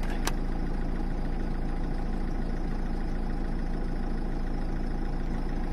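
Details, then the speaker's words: Peugeot 206 1.4 HDi at idle, fan switched on from auto: only steady diesel idle clatter about three beats a second, no air or fan noise; blower dead from failed blower resistor that also sets fan speed, replaced with a cheap part. "du coup ça souffle pas on entend pas le bruit du du ventilo donc bon ça fait une cascade de panne là en ce moment"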